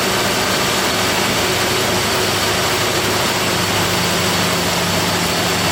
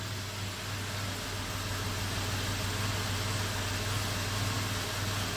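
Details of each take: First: 1997 Toyota 4Runner, 5VZ-FE V6 with 270,000 miles, after repairing a P0304 cylinder 4 misfire including new plug wires: steady, even idle for about ten seconds with no shake or skipping, running smoothly on all cylinders. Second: 1997 Toyota 4Runner, 5VZ-FE V6, 270,000 miles, idling with code P0304: a low drone with an uneven, lumpy pulse from a cylinder 4 misfire, with audible rpm hesitation and heavy engine shake.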